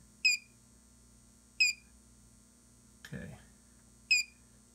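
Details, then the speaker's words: Xantrex Prosine 1800 inverter on a DIY six-module Nissan Leaf battery pack near 21 V: sharp high chirp repeating about every second and a half over a faint hum; low battery warning before shutdown. "you see the low battery so there's your alarm right that says hey batteries are low which is good"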